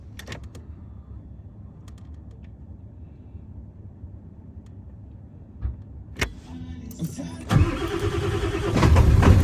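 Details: 7.3 diesel hard start: low, slow cranking churn for about seven seconds before the engine finally fires and revs up; extended cranking.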